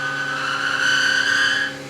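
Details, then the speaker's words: CNC milling 17-4 PH stainless flange bolts with coolant at 1910 rpm spindle and 23 in/min feed: a thin, steady high squeal over the spindle hum during the cut, occurring on one side only. Tool squeaking in the work. "Little bit of squeaking. It's funny that it's only on one side though."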